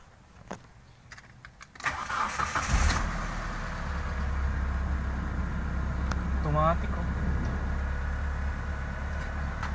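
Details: Mitsubishi Space Gear with no-start fixed via ECM relay: quiet clicks, then engine cranks, catches within about a second and settles into steady even idle; normal start after repair.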